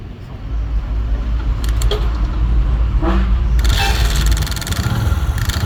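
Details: Hero Splendor motorcycle single-cylinder started with the engine open: catches into a rough, uneven idle with scraping and clattering; engine noise problem, source unclear.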